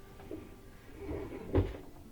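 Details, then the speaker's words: Washer spin basket rocked by hand gives dull knocks and a heavy clunk. It moves almost an inch, so the spider bracket at the back is broken. It also clunks during agitation, and a leak is being checked at the rear bearing. "so when you try to spin it by hand you'll hear it clunking around when you try to run it during agitation even it'll have a clunking sound"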